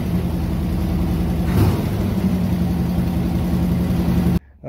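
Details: 1969 Chevy Corvette L-46 V8, original motor, 66,000 miles, running after years of sitting with cleaned fuel system, new filters, fresh fuel and new battery; smooth, even low note with one brief throttle blip, runs cleanly.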